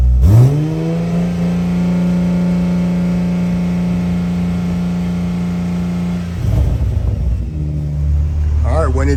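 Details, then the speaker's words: Toyota Supra A90/MKV 3.0 just fitted with a 65 OMEGA turbo kit, running the coolant bleed for about 15 minutes: quick rise then steady even drone at raised idle, turbo audible, no misses; normal. "we got it now you just leave it for about 15 minutes and it will go through the coolant set set up there and it'll bleed the system"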